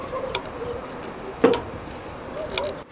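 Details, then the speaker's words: Solar water heater's electric backup element thermostat with 240 V confirmed at its wires: three crisp clicks about a second apart as the thermostat points switch in and out correctly, yet the water still isn't heating; normal thermostat clicking. "you can hear the thermostat adjusting this means that the points are clicking in and clicking out which it should happen but we're still getting no heat"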